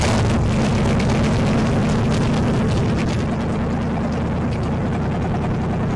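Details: Freshly installed salvage-yard AMC 360 (5.9L) V8 from a Jeep J10 in a 1976 AMC Gremlin: deep, even rumble at steady fast idle, no knocks, ticks or misses; engine runs healthy.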